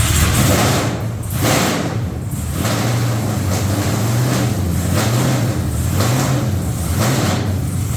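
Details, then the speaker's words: Truck's first fire-up, headers on and new red valve covers, possibly running some methanol: loud, deep, lumpy V8 rumble with a steady beat and no knocks or ticks. Normal running, louder than their other vehicle. "oh yeah sounds good I think it's way louder than death trap"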